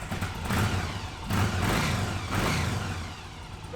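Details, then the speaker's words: 2006 Yamaha V-Star 1100 after a full carburetor rebuild: engine blips cleanly from idle, rising and falling smoothly with no hesitation, stumble or bog; crisp throttle response, running great. "And then, you want to make sure that the throttle is nice and crisp right off of idle. When you give it throttle, you don't want any hesitation."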